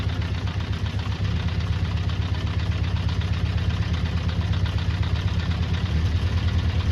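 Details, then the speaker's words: Honda CB400 Four, restored, before carburettor balancing: low lumpy uneven idle below 1,000 RPM, sounding like a tractor; specified idle is 1,200 RPM. "That's no good, it sounds like a tractor. That's actually less than 1,000 RPM, so it's meant to be at 12."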